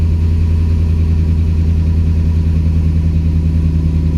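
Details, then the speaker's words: 2007 Dodge Ram 4.7L V8, stone cold, code P0507 high idle with throttle position at 0%; steady raised idle with no dip, suspected vacuum leak at back of engine, found to be broken PCV elbow; vacuum leak. "So we must have a leak here somewhere. I wonder if it has a leak on the backside of the motor."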